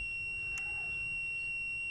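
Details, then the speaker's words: Holden Astra 2000 Z18XE, mass air flow sensor failure P0100: multimeter continuity test with wiggle test on MAF signal wire; one steady unbroken high beep, no dropouts, so the wire has continuity with no break. "so if that noise disappear that beeping P sound it means I have an open circuit so I'm big lingling the wire now so it means I have a good continuity guys so there's no problem with the wire guys"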